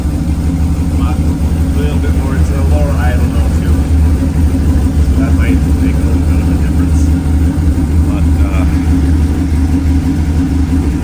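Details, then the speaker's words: 1937 Nash coupe, 6.0 Vortec V8, after the fuel regulator replacement and before the new injectors: deep, lumpy low idle with the car shaking hard. The regulator wasn't the fix; cause unknown, injectors suspected. "it definitely that wasn't the absolute fix so hopefully with the new injectors uh it'll make a uh quite a bit of difference on the uh vibration hopefully again you can't really see it but she's she's shaking pretty good"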